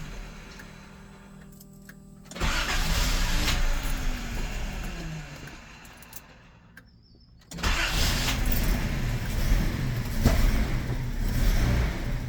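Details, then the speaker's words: 1981 Datsun 280ZX non-turbo manual, new fuel pump, cold start running too lean: catches rough and uneven, nearly stalls, then restarts with ragged popping, backfiring heavily when cold; cause suspected, not confirmed. "yeah it doesn't like it it backfires like crazy so let me give it all the fuel it wants and as you can see it starts up better still not perfect I'm still running a little too lean"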